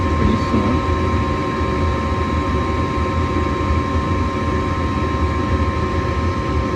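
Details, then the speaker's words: Gas furnace running after the igniter glows red and the gas valve clicks open to light the burners: steady even blower rush with low rumble and faint constant tone, no rattles; normal furnace operation during an igniter check. "there you go there's that click open the gas out and we got fire and the rest just blow the air there"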